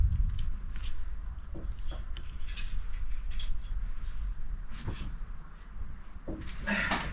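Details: Holden VX SS Commodore V8 with fully rebuilt engine and transmission, big cam and new exhaust, on its first start before a test drive. Deep, lumpy, loping idle holding steady without stumbling: normal idle.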